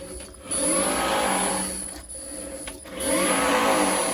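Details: Renault Zoe ZE40 5AQ rebuilt motor stack, spun unloaded without driveshafts: high thin whine rising and falling with motor speed, too noisy; gear whine from drive unit.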